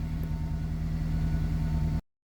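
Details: 2003 Honda CR-V (2nd generation), 334 (stated) kilometers, after fuel pump relay fix cured crank-no-start: steady low engine note with slight rise in revs, smooth and even, no knocks, then cuts off; normal engine revving.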